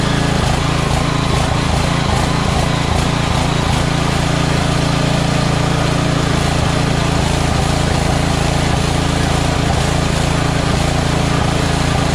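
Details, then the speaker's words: Small engine with a surging carburetor, run on choke: a fast pulsing beat whose speed wavers unevenly, a hunting idle. It runs best with the choke flap almost closed; the carburetor is suspected dirty with a blocked passage, before swapping it out. "so it runs good when the choke flap is almost closed which means that they're this carburetor is dirty and one of the holes are uh are blocked up"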